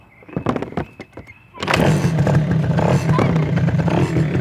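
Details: Chinese 90cc ATV, sat about two years, fresh spark plug fitted: a few sharp clicks, then the little engine catches and settles into a steady, even putter; starts and runs fine.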